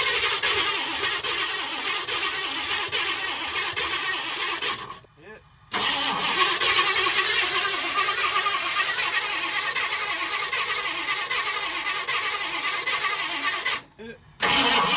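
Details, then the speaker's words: 1960 Ford F-100 barn find with a 428 big-block, after years sitting: two long cranking bursts, firing occasionally but never catching; no-start, timing untouched, plug wires suspected in wrong firing order. "Well, we never mess with the timing. Everything's tight. The plug wires may not be in the correct order."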